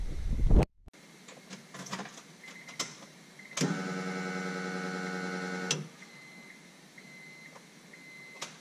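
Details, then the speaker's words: Turbo Honda Accord, Walbro fuel pump on a new relay with thicker wiring for alternator voltage, pressure seemingly good, no hose leaks: faint click, then about two seconds of steady, even electric hum without surging or grinding; normal fuel pump operation. "sounds pretty good. That pump sounds very healthy. And we're getting good fuel pressure, I think."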